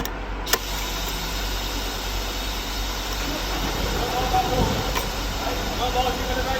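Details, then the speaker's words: 2009 Mercedes Sprinter 313 CDI diesel after a sensor and alternator replacement for a hard-start fault, with the battery suspected weak: catches quickly and settles into a steady, even clatter with no stumble or misfire. Now starts and runs properly. "So that's the sensor done, alternator done, and it starts pretty much first time out."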